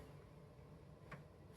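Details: Amiga 1000 floppy drive with Gotek virtual drive unplugged: a few faint, sharp ticks about half a second apart in a quiet room; normal empty-disk polling click.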